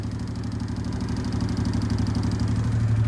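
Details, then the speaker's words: 2005 Honda Deauville NT650V, 75,000 miles, warm after restoration: fuel tap turned off to starve the carbs; steady twin idle turns slightly erratic while the fuel pump ticks fast, about four per second, racing as fuel pressure drops, confirming the pump works. "That's the fuel pump saying, "Oh, wait. There's not enough fuel pressure." And you can see that the uh the idol is becoming a little bit uh erratic."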